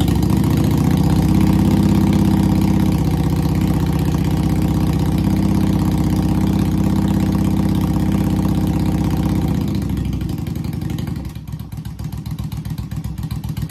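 Even V-twin idle with a steady beat around four pulses a second for ten seconds, then it slows and dies away; engine runs fine.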